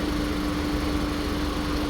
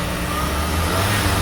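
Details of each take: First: VW Polo Vivo petrol engine idling on startup with an uneven, lumpy low beat: misfire on cylinder 2, clearly audible and visible; coil pack suspected fine, fault traced to spark plug or fuel injector, carbon-fouled spark plug checked first. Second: VW Polo Vivo that had a cylinder 2 misfire, after cleaning and reinstalling the spark plug; engine pulls up cleanly with a steady even hum, no stumble or popping on acceleration.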